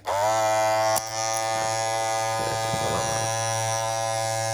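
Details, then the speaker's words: Andis Masters cordless clipper, blade just reinserted and pushed down, running with an even steady buzz at constant pitch and some handling clatter, about its out-of-box loudness. These clippers get super loud after months of use. "i mean that's kind of like where like when it comes out of the box it's about that loud"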